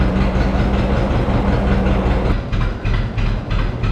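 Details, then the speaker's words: John Deere 530 two-cylinder tractor running; slow loping beat about three pulses a second, deep and steady; normal running. "Oh, you can't beat it, old 2-cylinder John Deere. Love that sound."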